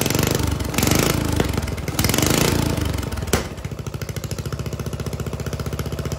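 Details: Lawn mower engine with governor, newly welded exhaust flange with small pinholes, run before turbo fitting: loud raw blats while revving, then a rough thumping idle about four beats a second. Open exhaust, no muffler.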